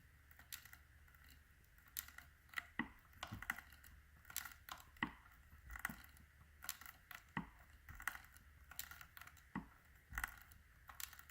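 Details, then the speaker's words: 2015/16 Yamaha FJ-09 clutch cable: quiet, irregular crunchy grating each time the lever is pulled. Broken wire strands are suspected where the cable binds 2–3 inches from the handle, and the clutch was out of adjustment. "Okay, so that's what it sounds like. It sounds like there's wires broken to me."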